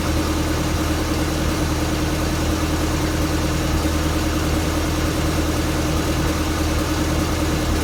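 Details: 1962 Land Rover Series 2A 109, 2.25L diesel: warm idle not quite even with occasional stumbles; smooth when cold, misses and jerks once warmed up; cause unknown.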